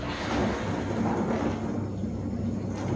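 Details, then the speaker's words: Dishwasher idle a long period, after freeing the limescale-seized wash pump shaft by turning the motor fan blades with a screwdriver; even low churning hum with water swishing, no grinding or buzzing; wash pump running normally again. "como podemos ver si no se ha desbloqueado correctamente y el programa de lavado continua sin problemas"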